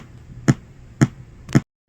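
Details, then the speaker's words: GT FORE board after replacing oscillator, audio codec chip, crystal and op amp: three sharp pops half a second apart through the speaker and still no audio, though sound test passes; regulator shows 13 V and 5 V; audio power-line fault. "Well, I'm still getting that pop, poof, poof, poof, and no audio."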